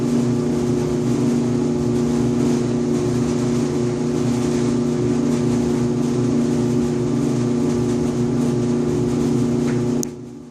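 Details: 5-year-old Electrolux EIED55H dryer makes a loud buzzing noise and vibration every 45 to 60 seconds: a steady low buzzing hum with heavy vibration. Caused by the blower assembly (134690800); replacing it fixed it, and the motor bracket was also replaced.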